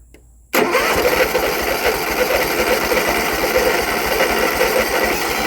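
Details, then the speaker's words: John Deere X300 riding mower unused about two years, apparently flooded before, after oil change and hand-turning the engine: catches abruptly and runs rough, surging and faltering on choke, then shut down; cause unconfirmed. "the choke doesn't like this day shot down for a second"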